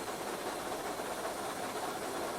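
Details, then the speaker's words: Steam locomotive Taw Valley climbing a bank on a wet winter charter to Southampton, green signal: boiler injector just put on, steady hiss of steam and rushing water over working noise, feeding normally as steam pressure rises. "Injector's just been put on."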